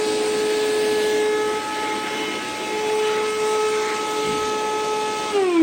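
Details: Older Flex 1.6-gallon shop vac at startup: a steady high whine with a strained droning note and no suction, then a sudden pitch shift as it begins sucking. Abnormal startup behaviour, cause unknown.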